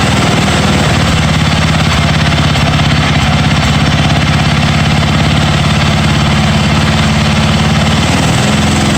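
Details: 1982 John Deere 108 mower, first start: loud single-cylinder thumping with an uneven, hunting beat that never settles. Runs rough; jet adjustments did not help and owner says the carburetor needs replacing.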